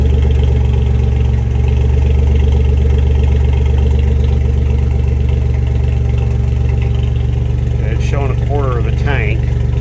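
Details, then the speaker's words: 1992 Dodge D150 pickup after sitting a week: steady even idle with a deep smooth beat, no misses or knocks; running healthy. "but but as you can see it starts right up probably should have primed it a couple of times before I started it"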